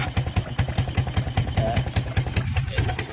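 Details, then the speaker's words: 1982 Honda 200cc three-wheeler after sitting about 10 years, idling in gear: rhythmic low clunks about five a second, not the chain; owner suspects the clutch, with oil leaking only in gear. "That doesn't sound good. That's not the chain. I thought it was a chain at first, but it's not the chain. It's It's that clutch inside there, I guess."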